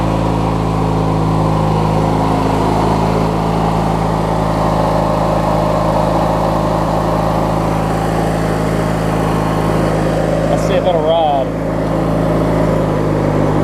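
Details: Craftsman LT1000 opposed-twin rider idling after being refueled and restarted: steady, even low drone with no misses, knocks or hunting throughout. A smooth, healthy idle; these twins need a charged battery to start.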